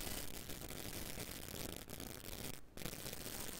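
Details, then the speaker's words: AudioBox USB 96 recording filled with a rapid chattering buzz of clicks that cuts out briefly, caused by RF interference from a ringing cell phone near the microphone or cables. "you hear that that's that clicking noise and it drove me nuts and what it is is your cell phone sitting right next to your microphone or in a chain"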